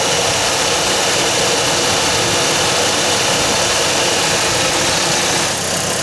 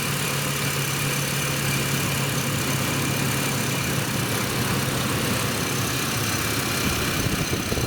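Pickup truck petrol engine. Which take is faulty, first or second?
second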